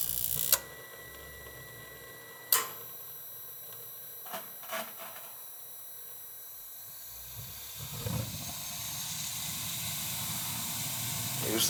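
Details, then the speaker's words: Dunkirk high-efficiency gas boiler after replacing the bad control, thermostat terminals jumped, low limit off, high limit 180: a few clicks, then burner lights with a soft rush and holds, no repeated clicking; normal ignition. "i got the power on if it's gonna open and she's gonna fire"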